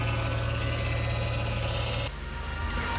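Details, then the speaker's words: Rebuilt BMW M6 V10, driving after new clutch was fitted and reprogrammed: steady engine drone with low pulsing, then a sudden drop in tone; an odd unidentified noise, source not confirmed. "Anything could be fixed, man. He said it. What is that sound?"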